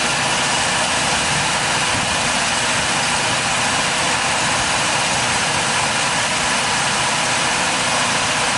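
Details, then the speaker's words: Mazda RX4 rotary at idle: earlier misfire and shaking at idle gone, now an even, steady idle with no stumbles or skips. "leave it running misfire gone bro that's what I was done misfiring like it had a little sh well now I can't even call that a that's a tremble like it was shaking a little bit at idle yeah"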